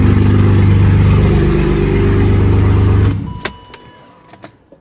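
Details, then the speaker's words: BMW E39 528 2.8L M package, started with the muffler and exhaust pipe removed: a very loud, deep, throbbing rumble that cuts off sharply after three seconds. "I'll show you what we did with this ready is going to be really loud"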